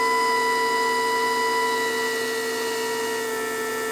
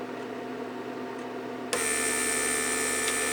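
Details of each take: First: Repaired 1999 Mercedes S-class (S500) door-lock PSE pump on a bench test with a small vacuum leak deliberately left open. The hum sags, stops and restarts within seconds, cycling constantly because of the leak, which would burn out the motor. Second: 1999 Mercedes S-class door-lock PSE pump, repaired, on a bench test with ignition on: quiet, then the pump kicks in abruptly with an even, steady buzzing hum while building pressure. Normal pump operation.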